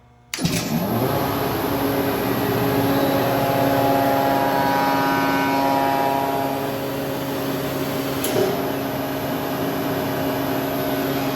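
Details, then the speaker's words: Used Hydrovane VSD rotary vane air compressor on a roughly 30 kVA transformer supply, test run: abrupt start, then steady even mid-pitched drone while running loaded and building pressure; no knocks or squeals, normal running. "so we'll stop it we'll stop it before it fills up so we you can see it running loaded"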